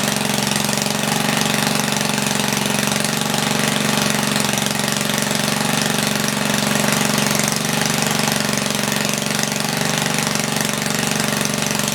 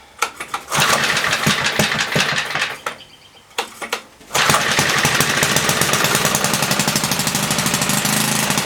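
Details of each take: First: 1976 Tilly rototiller, 3 hp Briggs & Stratton, points cleaned, main jet leaned, set to 3400 rpm with no load. Steady, fast, loud buzzing, slightly fluttery but even with no misses. Normal running. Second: 1976 Tilly rototiller with a 3 hp Briggs & Stratton points engine, not run for years, carb ultrasonically cleaned. A few pulls and sputters, then a loud, slightly uneven bark. Running rich; the main jet needed leaning.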